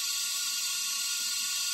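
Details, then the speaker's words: Kohler CV25S engine on an older Ferris mower, leak-down test at about 100 psi with both valves closed: steady hiss of air escaping back through the carburetor, 10 percent leakage; intake valve not seating. "and so now our cylinder has 10 percent leakage and it's coming through the carburetor here so these valves are are closed so I shouldn't be getting that much air coming back up"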